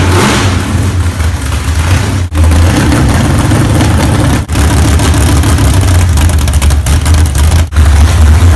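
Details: Freshly built low-buck 454 big-block from a stock short-block with a thumper flat-tappet cam, broken in earlier that day. Deep, loping, uneven rumble with a few throttle blips. Normal big-cam idle.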